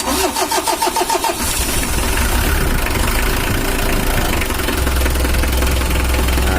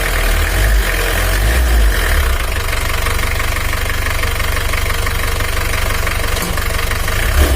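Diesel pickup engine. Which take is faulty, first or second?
second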